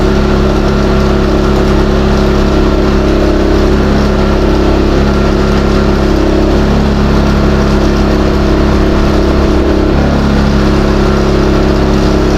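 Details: New Westinghouse iGen4000DFc dual-fuel generator, first run out of the box, powering an air compressor at about 1400–1700 W and 122 V: a steady low hum shifting slightly with load. Normal under load.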